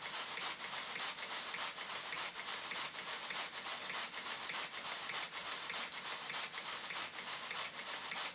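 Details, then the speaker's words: Southworth Engines large duplex steam pump after tweaking its valve timing: crisp, even exhaust beats at roughly a hundred a minute with steady hissing and no stumbles or knocks; normal steam pump running. "i'll stop talking and let you listen to the exhaust beats"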